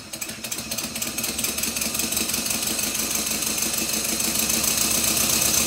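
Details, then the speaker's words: Stuart Twin Victoria model steam engine, newly rebuilt and still stiff, run on compressed air; quick, slightly uneven ticking near four a second from a crosshead pin working loose again, later fixed with thread lock. "despite my efforts one of the crosshead pins is working loose again"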